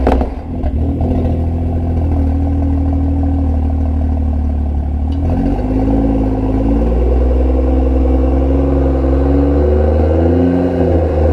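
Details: BMW M2 LCI (DCT) with iPE exhaust using the factory valve actuators, cold start: loose uneven clatter over the exhaust note while revving, worse with valves in one position; actuator solenoid/spring suspected.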